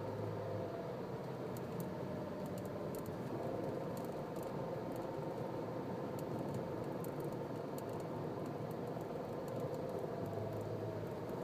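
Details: Nissan Cube, registered December 2005, about 7 years 8 months old, 51,000 km: faint, steady mid-pitched whine over cabin drone while driving, suddenly appearing from the CVT. CVT noise reported, cause unconfirmed.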